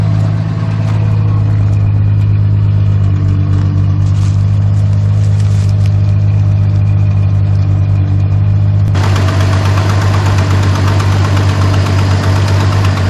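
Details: Barn-find 1973 Dodge Dart Swinger, 225 slant six, first run in 29 years, fuel fed to the carburetor: steady, even low burble holding one speed; no misses or knocks, idling smoothly.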